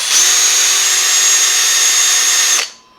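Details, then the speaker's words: Small battery drill boring through the plastic housing of a recalled Philips DreamStation 1 CPAP to reach the foam: steady high-pitched whine, cutting sluggishly about two and a half seconds; the drill bit is dull. "last drill bit's real dull oh i got in there okay okay so i went all the way through into the foam boogered the foam just a little bit"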